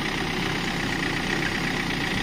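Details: Hyundai Creta that lost battery charge while driving, jump-started: steady even idle with smooth hum, no squeal, chirp or ticking, no warning lights; normal idle.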